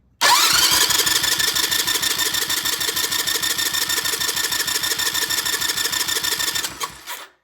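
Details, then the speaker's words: Vintage British motorcycle, compression test while cranking: even cranking about three beats a second, no firing; reading about 90–100 psi leaking down rapidly by itself, burned valve in that head. "Oh, look at it leaking down. That's 90 some odd pounds and it's leaking down rapidly, all by itself. We got ourselves a burned valve in this head."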